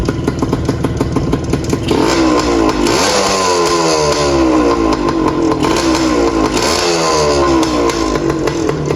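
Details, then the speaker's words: 1981 Suzuki TS185 two-stroke, previously leaking oil and with no spark, now holding oil and idle adjusted: crisp buzz climbs and falls cleanly through repeated blips, settling without stumbling, little smoke; running mint, normal revving. "She's running absolutely mint."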